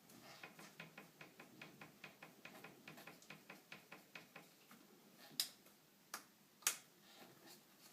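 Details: 2013 Fox Float CTD rear air shock on 2013 Specialized Stumpjumper FSR: sharp, dry clicks with each stroke, a clunk caused by play in the piston bushing (blue or green ring); can be fixed by fitting a properly thick bushing.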